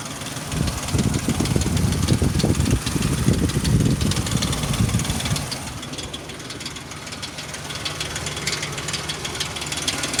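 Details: 2003 Ford Explorer 4.0 SOHC, about 380,000 km, engine hot at idle: rough rattly idle with uneven tapping about three a second; noise vanishes near 1000 rpm and returns near 1500 rpm, cause unknown.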